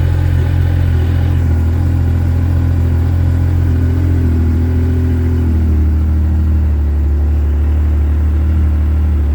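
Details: Yamaha RMAX UTV after fitting an Acoucou YTX9-BS sodium-ion battery, foam-insulated, about 14 volts at key-on: deep even engine drone with slight rev dip as it settles; cranked and started readily, runs smoothly.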